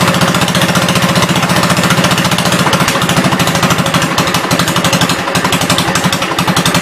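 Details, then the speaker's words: 1972 Gravely 430 single-cylinder tractor after cylinder head refit, on a hot day; steady thump about three beats a second, no grinding or clunks, driving forward and backward with high-low axle working; normal running. "Sounds good. No big noises or anything. It'll move forwards and backwards."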